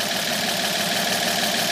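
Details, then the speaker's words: 1950 228 six after new water pump, fuel pump, fan belt, rebuilt generator and fresh fluids, not yet timed: steady, even purring idle with no knocks or misses, no water leak; normal idle. "okay new water pump is in it's a good one it's it's bur like the kitten now this sounds great so happy no water leak a running on its own gas station"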